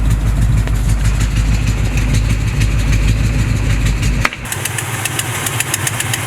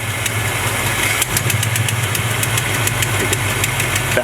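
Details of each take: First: 1970 Chevrolet C20 V8 being tuned: slow, lumpy idle drops to about 500 rpm and nearly stalls, then holds steady at about 500 even with the idle raised as far as it will go; low idle speed. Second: 1970 Chevrolet C20 V8 at idle after screw adjustment and slight rpm raise: steady burble, fairly even beat with a few light ticks; close to normal idle, previous owner's tune possibly off.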